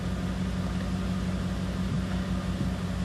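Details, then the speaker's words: 2014 Ford F-150 Platinum, new blower motor and control module (resistor) fitted after the fan was stuck on high: even, steady hum of the cabin fan at low speed with no surging, rattling or whine; speeds change correctly; normal blower operation. "Put it at 1 speed. It slowed down. We'll crank it all the way up. You see, you can hear it. It's working. Lower it down, and the speed lowers the way it should."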